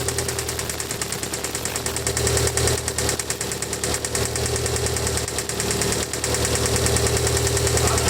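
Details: Mitsubishi Evo 4G63 idling: runs quiet for a bit, then a light tick and knock returns, roughly three beats a second; lifters already replaced without change, cause unknown.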